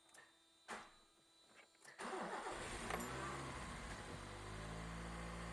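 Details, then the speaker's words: 1982 Honda Civic (carbureted, sitting since about 2009) after most of the ignition system was replaced: it cranks, catches and idles with a slight uneven stumble, a hesitation miss. This is much better than before the work. "i don't know that's not too bad for sitting since like oh nine uh still has some sort of like sort of hesitation miss but that's way better than it was it might even be worth driving"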